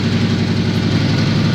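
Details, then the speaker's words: Subaru at idle after the spark plugs were made accessible: loud, lumpy, uneven idle with occasional stumbles. The engine is still misfiring badly. "Okay, now I don't know if you guys can hear that, but um the car is still misfiring quite badly."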